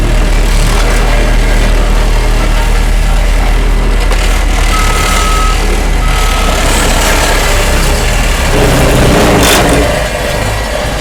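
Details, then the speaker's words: Homemade hydraulic vibratory roller from Case 252 roller front end on Cat 226B skid steer, rolling with vibration on: steady low diesel rumble with even vibratory drone, smooth under load; normal operation. "Now Sarah's going to turn it on right now so you can hear it, and now she's going to go ahead and roll it."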